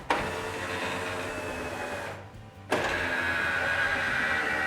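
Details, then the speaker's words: Toyota Supra MK3 door window lowering: steady motor whine with a brief drop mid-travel; front lowers first while rear catches even with trim loosened; regulator suspected, before adjustment. "right as I lower the window the front will start to lower and the rear does not want to lower and I've moved that trim piece so that it's not really supporting it it's pretty loose very loose and it's still just catching and it doesn't want to fall so I think that's the regulator itself"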